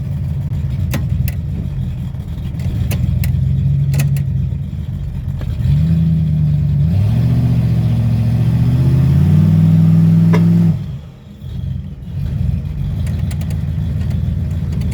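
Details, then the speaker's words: 1995 Ford Mustang with newly swapped C4 3-speed automatic, mount installed, car on the ground, stall test against the brakes: revs climb smoothly and hold with no slipping or knocks, then drop out; an unexplained pop heard; healthy stall test. "Alright guys, so we're gonna put it up on the stall and see what happens."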